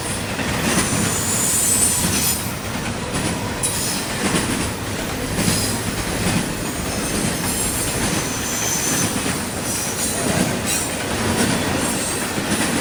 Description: This is a video I did in Georgia Of a Csx Intermodal Train that passed by me making a screeching noise.